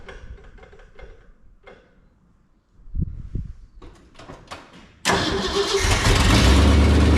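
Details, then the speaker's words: 1978 Ford F250 not started for 5–6 months, after brake work: a few quiet clicks, then it catches at once and settles into a steady, even idle with no misses or knocks; owner pleased how well it started; normal start and idle. "It hadn't started this thing in 5-6 months, and I was really kind of happy how well it started."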